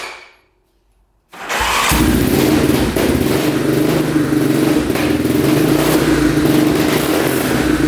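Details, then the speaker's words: 2002 Yamaha Warrior 350 single, first start, carb cleaned, fresh oil: catches and settles into a quick, even putter; sounds decent but smokes heavily, owner unsure whether oil burning off in the exhaust or it needs a rebuild. "Yeah, it sounds pretty decent. It's smoking quite a bit."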